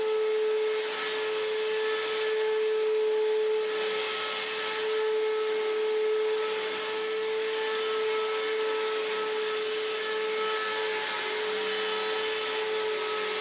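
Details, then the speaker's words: Restored Electrolux Z1910 Self Propelled vacuum on a rug: loud steady high motor whine with a rough gritty edge that never smooths; sounds terrible, worn motor bearings; post-motor filter pad working loose. "Just sounds terrible."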